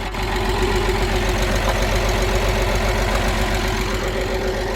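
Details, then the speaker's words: Porsche Boxster six-cylinder, long unused, after a fuel pump replacement and fresh gas, smoking: steady idle with an uneven, lumpy pulse of two or three beats a second, sounds like it's missing. Owner suspects spark plugs or injectors. "it has misfires and everything cuz that things running like it's a six cylinder it sounds like it's running on like two"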